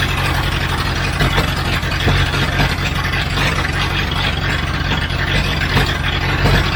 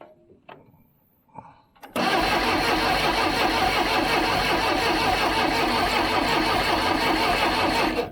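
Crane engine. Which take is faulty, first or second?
second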